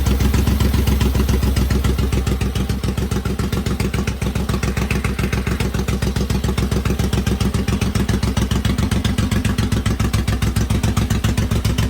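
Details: Rebuilt engine's first start: even, steady pulsing idle at roughly three and a half beats a second with no knocks or rattles; normal idle, to be checked for antifreeze and oil leaks.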